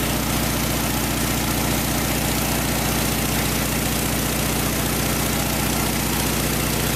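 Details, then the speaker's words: VW flat-four engine from a 1956 Beetle barn find, running after 24 years sitting in a barn; owner says it runs really smooth, no knocks, no rattles, fires in one or two cranks; even steady idle: normal. "it runs really smooth uh no knocks no rattles fires right up with one or two cranks"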